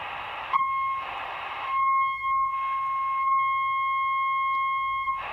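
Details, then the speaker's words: Homemade LC circuit tester on a radio's oscillator section: a clean, steady beep tone through bursts of static; the oscillator coil and capacitor are not open and the stage resonates properly. "so there's the tone now we know we don't have an open capacitor and or an open oscillator coil"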